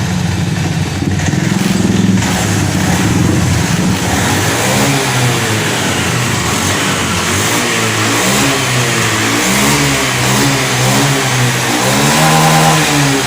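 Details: Honda Scoopy fuel-injected automatic scooter after cleaning a dirty injector; it had sputtered and died when throttled. It now pulls cleanly through repeated blips, rising and falling smoothly with no stumble or cut-out: normal revving, fault fixed.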